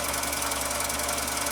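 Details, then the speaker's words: Husqvarna Viking 6430 sewing machine, previously rust-infested and seized solid, after restoration: quick, even mechanical whirr with light regular ticking from the drive, no binding or grinding; turns freely. "So here we have a Swedish Beauty that was all but dead. Had the final countdown. Was infested beyond measure with rust. Was locked up like a drum. And now listen to it."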